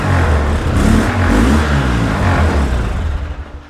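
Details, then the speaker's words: 2003 Polaris Sportsman 700 ATV: a rough, lumpy engine climbs a little on throttle, then stalls in its rise and falls away, won't rev. Owner is pretty certain the carburetor holds varnished stale fuel, no longer gasoline. "And that's all we're going to get because, like I said, I'm pretty certain this carburetor is full of lacquer thinner, varnish, and deck stain as opposed to gasoline."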